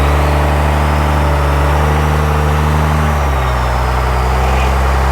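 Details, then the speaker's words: Cummins-swapped Ford on its first drive under its own power: diesel idle drags down and roughens as reverse takes up without clean engagement; transmission band adjustment was off and later readjusted. "Honestly, we might have to play with that. Yeah, because It doesn't sound right, does it? no. Yeah. We'll have to look up how to reset that."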